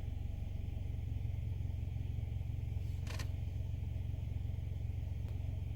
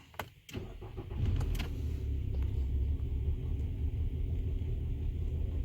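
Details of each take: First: 2015 Nissan Altima 2.5 with P0014 and P0300 codes, after repair, idling in Drive: low, steady, even idle with no shaking, no misfire, no roughness. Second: 2015 Nissan Altima 2.5 with P0300 multiple misfire and P0014 exhaust timing codes: cranks and catches, then lumpy wavering idle, shaking badly in Drive.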